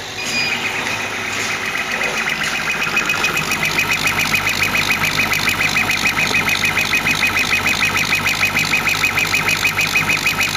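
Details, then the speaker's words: 40 W CO2 laser cutter engraving at 40% power: high chirping squeal pulsing about three times a second as the head sweeps; laser pulse-width modulation; normal laser PWM squeal during engraving. "the um squeaking beeping noise that's actually the pulse with modulation of the laser"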